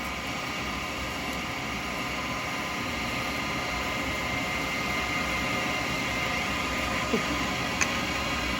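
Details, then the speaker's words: Wood lathe turning an acrylic pen blank between centres with a 12mm round carbide chisel: steady, even hiss with no chatter or catches at a constant spin; the carbide is cutting cleanly. "So I'm just trying to come down. So when you're getting a good cut, you can hear it."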